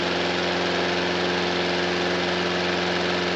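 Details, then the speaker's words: Honda mower engine, choke on, started for a test: steady, even putter from the small single with a smooth firing rhythm and no knocks or misses, idling a bit slow and could use more speed; normal running. "that sounds lovely that engine could do a bit of speeding up though it's a bit slow"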